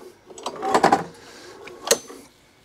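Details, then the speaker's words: 2004 Mountfield 470 power-drive lawn mower, drive engages: two heavy dull clunks about a second apart as the recoil cord is pulled; engine turns over but knocks, cause unknown. "the drive could be working because it locks off when you engage with drive it pulls but there's a clunking noise hear"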